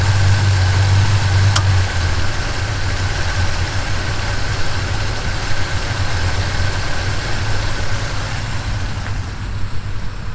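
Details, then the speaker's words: 1977 Chevy C10 V8 with lumpy cam: lumpy idle, then a sharp click as the A/C compressor clutch engages and the idle drops by about 300 rpm; intermittent bad idle caused by A/C load. "everytime the a/c engaged the clutch engaged well it was drawing so much out of that engine that it was idling it down by above 300 rpm"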